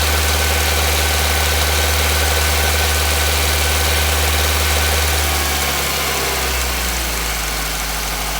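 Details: Nissan Micra HR16DE at 3,546 km, steady idle with a regular knock about four per second that settles lower near the end; engine knocking, linked to a known HR16DE knock at certain rpm.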